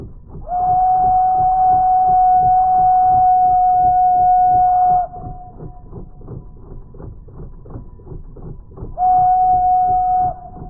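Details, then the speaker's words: Jensen model stationary steam engine (made in PA, USA), dry-fuel fired, after a full tank of water and two fireboxes of fuel: steady chuffs between long whistle blasts, no misses; winding down as water and fuel run low. "It sounds like our engine is starting to dwindle down. It took basically a full tank of water and then two full fire boxes of the dry fuel to get it to start going down, and it still doesn't want to die."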